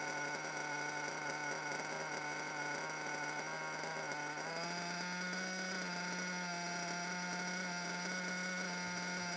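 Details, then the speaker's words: Small nitro RC car engine at idle, tuned and otherwise in good condition, wanders and surges up and sags back for no apparent reason, caused by a worn front bearing. "yeah so an idol that just keeps wandering for no apparent reason"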